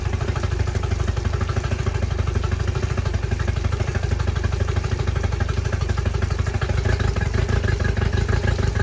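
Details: Yamaha T50TLRD 50 hp outboard after head decking and a new head gasket, good compression, at an uneven, stumbling idle with irregularly dropped beats over a deep thrum; misfire, cause unconfirmed (owner suspects old knockoff plugs or sitting), raw fuel smell.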